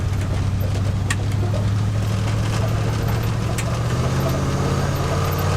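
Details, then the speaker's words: 1977 Ford plow truck revived after years abandoned, Duraspark ignition, after driving a couple miles and running perfectly about 5 minutes: smooth even low V8 rumble, no stumbling or surging; running cleanly. "This thing's been running perfect for like 5 minutes."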